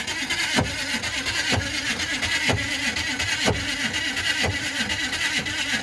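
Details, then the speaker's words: Big Detroit Diesel truck being cranked with ether on a last attempt: harsh grinding bursts about once a second while cranking, never catching; it sounds like the starter gear broke or its teeth aren't meshing, suspected, not confirmed. "keep trying that sounds like the whole freaking gear broke off as soon as you"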